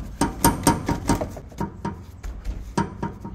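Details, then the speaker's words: Nissan Sentra, car raised, wheel off, subframe rocked by hand: series of sharp hollow clunks from play in worn subframe bushing, source of customer's strong suspension noise; front and rear bushings to be replaced. "eu consegui identificar a folga aqui ó na bucha do agregado ó é esse barulho que faz ali ó ó ele bate aqui ó tá ó só com a mão aqui ó só puxando aqui ó ó ó como bate"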